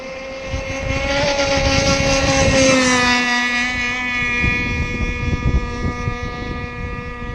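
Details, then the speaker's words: ZippKits Vbox RC gas-powered boat at speed: a steady high wail, a little soft and burbly at the top end. The engine is probably running slightly rich and could be leaned out for more speed. "And it sounds like the engine could be a little bit more in. We could squeeze a little bit more out, but it's actually a good speed, especially if there's any wind."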